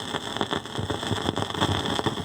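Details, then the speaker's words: Fisher 400 amplifier with fresh output tubes: irregular crackling and popping like rain over a faint hum, resembling silver mica disease. One side's plate voltage swings instead of a steady 420 V, and the noise stops when the output tubes are removed; the output transformer is dead. "you're gonna hear what a bad outfit transformer sounds like there it is sounds like silver mica disease doesn't it"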